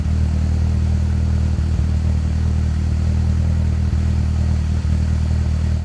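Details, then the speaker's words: Vauxhall Corsa with C20LET turbo engine, also over-boosting and juddering on boost: steady tick-over broken every second or two by a soft boof from the tailpipe; misfire sending unburnt fuel from one or two cylinders igniting in the exhaust. "Now, tick over is okay, but you can hear out the back, every now and then there's a little boof, boof, boof."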